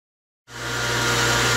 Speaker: okay we got it plugged back in as you can hear the pump is running